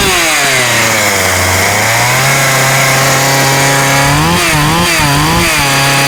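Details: Husqvarna 36 chainsaw after repairing a lead nicked down to the wire and refitting earth lead: revs smoothly through several throttle blips with no misfire at the top end; runs, stops and runs consistently.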